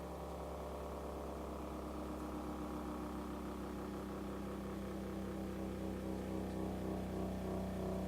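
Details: 1936 Philco 116X tube radio, first power-up in decades after six months of restoration, brought up slowly through an isolation transformer: steady low drone with stacked tones that holds as tubes heat; unwanted hum, source not yet found.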